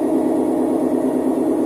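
A loud, steady low roar holds through the whole spin with no letup, typical of worn drum bearings under an unbalanced load.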